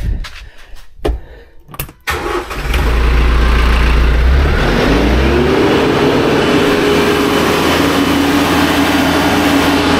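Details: TYM T574 diesel tractor after replacing the fan belt and refitting the air conditioner accessory belt with about half an inch of play. It cranks, catches and settles into a steady, even idle with no belt squeal. Normal idle.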